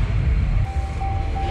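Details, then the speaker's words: 5.7 HEMI V8 Ram after exhaust manifold gasket replacement and broken bolt extraction: steady, even low V8 idle rumble with no ticking or puffing from the manifold; leak fixed. "all right nice no more noise"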